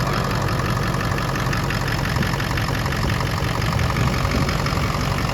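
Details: Ford 6.0 PowerStroke diesel the day after a rebuild: deep, steady diesel idle with a low, even clatter and no knocks or misses; normal idle.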